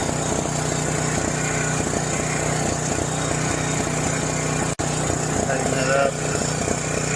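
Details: John Deere 6200-watt portable generator, dry-stored four years since Hurricane Ian with undrained carburetor varnished by old fuel; running at about half choke: uneven, lumpy with a brief stumble near the end; rough running.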